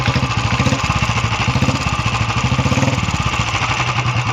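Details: Royal Enfield Classic 350 after repair: steady even single-cylinder idle, no extra rattle; earlier noise was the self-starter bearing hitting its housing after its spring broke, bearing removed rather than replaced, now running normally.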